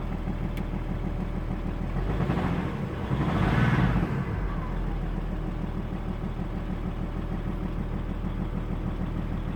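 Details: Audi A6 C5 2.5 TDI diesel at idle: low, uneven knock about three beats a second over the engine note.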